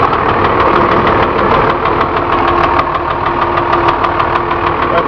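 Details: Ex-FedEx Freightliner/Utilimaster 14ft step van, Cummins diesel, warm idle: sharp, regular tapping about three per second over the idle; owner suspects low idle oil pressure, noise goes away when revved with high oil pressure.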